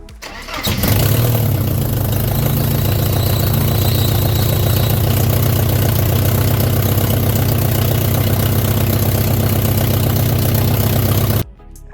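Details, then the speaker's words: Porsche 924S after clutch, pressure plate, throwout bearing and rear main seal replacement and flywheel resurfacing; after reconnecting two bellhousing sensors it catches quickly and settles into an even, steady idle with no misses or knocks; normal start and idle. "as you can hear there the car is now running and and it is running great back to how it was"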